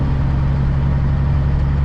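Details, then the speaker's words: Aerodyne cabover truck recently fitted with a new air filter, on its first trip out of Ohio. Steady, even low diesel drone with no knocks or misses: normal engine running, sounds good. "And he sounds good doing it too. I'll tell you that much right now."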